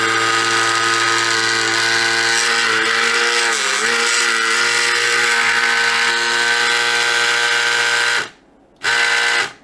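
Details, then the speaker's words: Samsung Jet 90 Pet turbo brush belt drive, reassembled on its belt: loud steady high whine with a buzzing edge that dips, cuts out and restarts, even louder after removing a part; belt very tight, cause unknown. "Now after removing it, this part is even louder, and the question is, why is it happening? The belt is very tight. You can hear it going haywire here, but what's causing it?"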